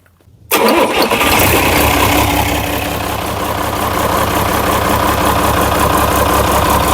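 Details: International DT360 diesel, intended for a swap into a 1973 Ford F250 crew cab, restarted to check blowby: catches immediately and settles into an even idle clatter, no misses or knocks; practically no blowby.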